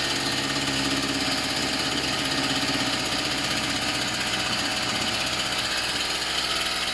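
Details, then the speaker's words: Tanaka THT 210B hedge cutter two-stroke after a carburettor strip and clean, diaphragms checked; it was slow to start on choke. Now a fast, steady buzz with a high crackle and no misfires or surging; normal running. "So it's running, it's all good. It sounds like it's running fine as well. I think it just took a while to get it to start on the choke, to be honest."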